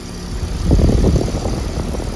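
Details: Bard HVAC unit restarted during a no-cooling refrigerant-leak call: a low rumble swells as the compressor and 800 RPM fan come up a little slowly, then settles into a steady drone. It runs normally, with the fan at 0.5 A and the unit at 8.5 A.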